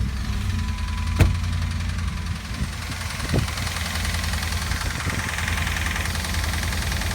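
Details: 2007 Dodge Ram 1500 Hemi, replacement engine with 68,000 miles fitted 3 months ago, noise started the day before: steady idle with a dull irregular thud low in the block; technician suspects rod bearings or crankshaft, bottom-end knock.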